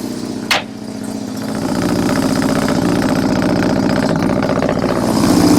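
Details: 1971 Mazda 1200 four-door wagon with a rotary engine, from New York: the pedal is pumped, then a short crank catches at once into a fast, even, buzzing idle; normal start and idle.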